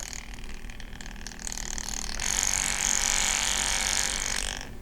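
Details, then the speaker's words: TRX-4 crawler on the bench with 1800Kv brushless motor and piggybacked Crawlmaster Mini ESC: motor spins so slowly at startup it takes long to take up drivetrain lash; faint whir, then rising hiss-whine once slack is taken up and it drives. "There's so much drivetrain lash, that's funny. This motor is spinning so slow that it actually takes that long."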